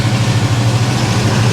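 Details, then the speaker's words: 1974 Chevy El Camino 327 V8, which would not stay running the day before: deep even idle held noticeably fast with steady drone, no knock; idling too high, dies when gas tapped; owner suspects fuel issues from tank, unclamped lines, questionable carburetor. "definitely idled up too high but i mean she's running"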